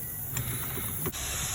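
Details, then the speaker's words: DAF lorry whose park brake releases slowly, tracing which of three pipes at the park brake valve carries pressure when the handbrake is released: a constant sharp hiss of air venting from the open pipe under light clatter; air discharging at the park brake valve pipe. "It's not that one, look, because you can hear it pissing out, look."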